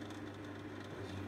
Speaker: up, as you can hear, so that's now got cooling on coming through, and then you can increase the temperature.